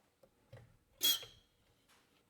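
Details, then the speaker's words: Caterpillar D6 9U new diesel injector (number one) on pop tester, quiet room: one sharp high squeal with hiss lasting about a third of a second, not leaking off, breaking right at 800 PSI; normal atomization. "I mean it's not leaking off off it's not it's got a good squeal breaking right at 800 PSI"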